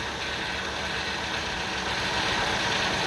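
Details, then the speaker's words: 2000 Ford Windstar SEL 3.8 V6, 204,000 miles, rebuilt, new EGR, DPFE, plugs; AC off: uneven lumpy idle with slight stumble, heavy vibration worsening after slight throttle; no vacuum leaks or scope misfires found; rough idle, cause unknown. "I don't know if it's visible yet, but it's vibrating quite heavily here. One slight throttle. And it just gets progressively worse."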